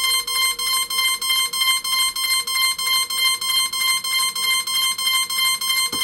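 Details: Cheerson CX-20 quadcopter on battery, after a USB cable swap lets the PC recognise it but Mission Planner won't connect for factory parameters; rapid high-pitched beeps about three per second continuously, warning cause undetermined.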